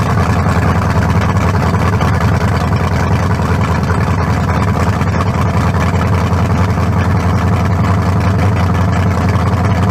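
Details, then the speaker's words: 1974 Nova's new low-compression turbo small block (40-over, 3.48 stroke, forged pistons; replaces a cracked-cylinder-wall 388), run without turbos yet: loud, deep, even burble with no ticks or knocks, better than the 388, not sounding low-compression. Normal idle. "yeah much better i say we got it it ain't got no down no double no almost better than the 388 it does it don't it don't sound like no little low compression"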